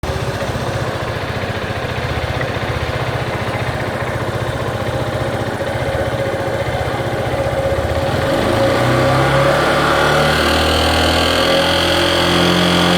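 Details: Yamaha Fazer 250 with 80,000 km: cricket-like chirp over the engine once revs pass 4,000 rpm, top of engine on the right side near the cam chain; began after an oil change, persists after switching to Yamalube and 400+ km, cause unknown.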